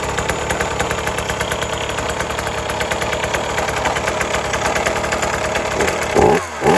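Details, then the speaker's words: 1980s Cruise N Carry outboard, idle right after first start: it sat about 20 years, then got a carb clean, fresh gas, a fuel prime and choke. The two-stroke putter is fast and even with no misses or knocks; it runs perfectly. "So just a simple carb clean and some fresh gas, and it fired right up and ran perfect."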